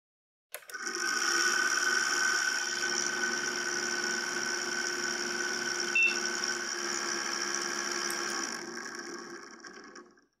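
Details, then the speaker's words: Small fan in an ASUS P3B-F Slot 1 PC with Pentium II 400 at first power-on: steady high squeal and whirr that never settles; worn, dry fan bearing needing machine oil, previously serviced. "wow that doesn't sound good at all this fan definitely needs servicing"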